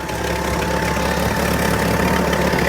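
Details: Ford bullnose truck, 300 cu in inline six fitted with a new Edelbrock two-barrel carb (converted from one-barrel) and air cleaner; steady even smooth low rumble, no misses or knocks; normal idle.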